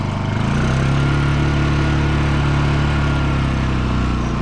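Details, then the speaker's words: Honda EU2000i inverter generator after fitting a new aftermarket carburetor with the original throttle servo transferred, about 100 to 200 hours on the unit: smooth, even hum with no misses or surging as it steps from idle up; normal idle-up. "Go ahead and get our Idle down just nicely when you need to, and idle up."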